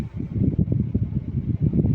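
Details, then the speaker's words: Gree AC indoor unit, fan speed turned down from full to auto on the remote: soft low whooshing with gentle pulses, no rattle or scrape; fan noise much reduced, loud noise was only full fan speed. "अब मुझे आवाज़ नहीं आ रही है, बहुत कम आ रही है।"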